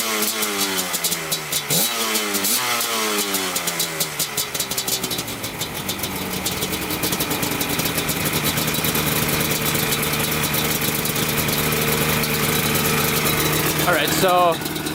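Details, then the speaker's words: Yamaha Banshee 350cc two-stroke twin after carburetor cleaning (stuck float needle had flooded one cylinder), carbs set identically: crisp start, even steady idle, clean rev blips with no missing; normal idle and rev. "the carburetor definitely help everyone's perfect now sounds great"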